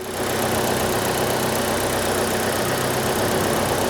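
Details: ZAZ Chance (Nexia type) with 144,000 km, weak pulling power, engine warmed up during ignition coil check: steady busy idle hum with faint fast ticking about four per second; valves tight.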